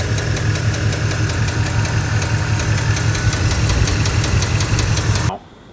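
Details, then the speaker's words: Truck engine at idle with a dropped lifter (lifter failure): loud, regular metallic ticking from the top end, about five per second. The top end is to be torn down to check the lifters and cam bearings and to replace the camshaft. "The truck has dropped a lifter, so it sounds really bad. I'll roll a clip of it ticking here right now."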